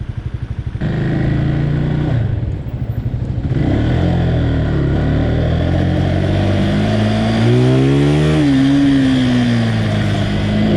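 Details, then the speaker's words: Motorcycle riding and revving with heavy, sharp irregular pops and crackles through the exhaust, coming and going; backfiring. "So I'm riding and I hear my bike start fucking backfiring, and it was backfiring heavy, and I was like, dude, why is it backfiring?"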